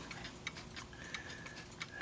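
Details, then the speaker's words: 1970s German Linden triple chime mantle clock with a Hermle 1051-020 movement, test running after rebushing and reassembly, chimes not yet set: crisp, evenly spaced ticks, in beat, no hesitations; running healthy. "okay got it back together test running it now no Chimes the Chimes haven't been set yet"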